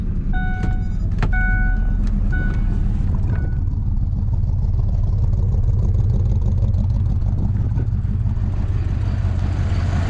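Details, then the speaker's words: Ford F150 5.4 3V V8, right-hand drive, just started on a new battery, with cam phaser and timing chain problems: lumpy, very rough idle running on about three cylinders; injectors unplugged to find dead cylinders. "like it is really really rough and they're try and they try and figure out which cylinders we're running basically just unplugged injectors"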